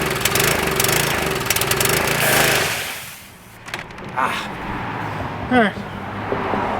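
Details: Craftsman 2500 PSI pressure washer with Briggs & Stratton 6.75 engine (model 168212), no-start: it runs rough on starting fluid for about three seconds and dies; a Seafoam attempt fails. Fuel starvation from a clogged carburettor.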